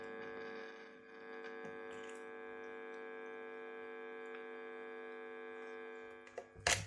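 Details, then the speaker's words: Kit-built Telecaster through amp: steady bright electrical buzz with no notes coming through; capacitor touching jack pin ruled out, cause is a ground wire not connected, leaving the bridge ungrounded. "so the ground wire that runs from here and should be connecting over here isn't so it should be connecting here"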